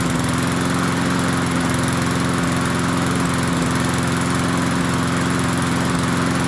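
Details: MTD 22-inch push mower, model 11-A084E029, after the spark plug wire was properly connected: a steady, even single-cylinder putter with no misses or knocks, now running better. Owner notes slight vibration, possibly a bent crankshaft judging by the blade.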